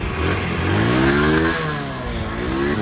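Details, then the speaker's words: Honda CD70 single-cylinder motorcycle engine after tappet (valve clearance) adjustment, blipped up and down; starts on first kick, revs cleanly with no valve ticking, tappet noise gone; normal running. "पहली किक पे स्टार्ट, स्टेपट करने में आवाज़ करना बंद हो गए।"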